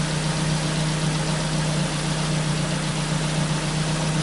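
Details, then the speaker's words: Ford Focus after replacing a faulty sensor that caused misfires and random injector cutting: smooth, even idle with steady low drone and no stumbles; engine runs perfect again, slight elevated idle fuel trim remains; normal idle. "but i mean it's clear is it nothing there or engine runs perfect again"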